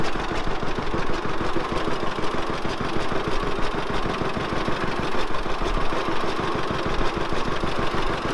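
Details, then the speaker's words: Old tractor that sat all winter with gas in the carb, warmed up, idling: rapid, slightly uneven low chuffing with sharp puffs on each firing; exhaust manifold leak where the exhaust pipe joins the manifold, poor seal. "i don't know if you guys can hear it when it's running but it does have a manifold leak and it's where the uh exhaust pipe and the manifold join together there's not a good seal there"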